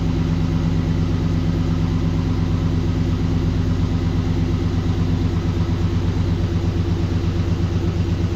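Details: 1936 GMC truck with an aluminum-block 5.3L LS swap, first start after about 60 years, up on jack stands: steady, even V8 idle with no knocks or misses. Fan running, no leaks, slight smoke from the header wrap.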